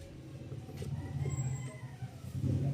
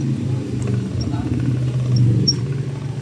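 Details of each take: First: Brand-new radiator fan motor assembly replacing a noisy old one: soft, steady low hum spinning freely with no grinding, rattle, whine or play; normal quiet operation. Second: Worn old radiator fan motor: low, rough, uneven bearing growl; the brand-new replacement assembly runs quiet with no play.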